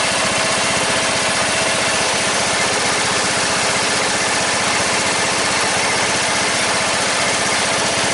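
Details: 14.5 Briggs & Stratton single-cylinder lawn tractor after a no-start fix with a new fuel line, running with the breather on; loud, steady beat at an even speed with no stumbles or surging; normal idle, problem fixed.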